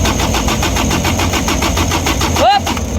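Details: Diesel engine that won't start, injection pump suspected: no fuel came out when injector lines were cracked during cranking, magnetic switch to be tested next; steady cranking about five to six beats a second with no firing; cause not confirmed.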